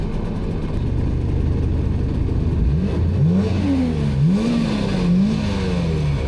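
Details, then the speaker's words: 2003 Sea-Doo GTI RFI jet ski on lake test: engine winds up and down freely with little load, little or no propulsion; owner suspects worn jet pump wear sleeve, pump slipping without thrust. "The thing is just winding out, and no propulsion or very little propulsion."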